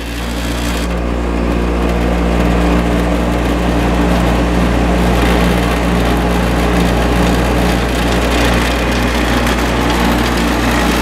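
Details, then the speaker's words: Vintage Coronado 5,000 BTU window air conditioner with a Copeland reciprocating compressor, fan motor just oiled: loud, steady low hum with a rough, shaky edge at compressor start-up, start-up vibration said to fade within seconds but not clearly fading here. "Bit of vibration at first, but that really diminishes after a few seconds. And then it gets nice and smooth."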